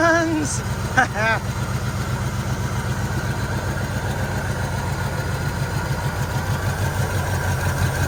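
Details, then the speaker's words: 1980 Jeep J20 pickup abandoned 13 years, running only on poured fuel: catches and lopes roughly with fast, uneven pulses for a few seconds, then dies. Owner concludes a fuel supply issue. "so we definitely have a fuel issue"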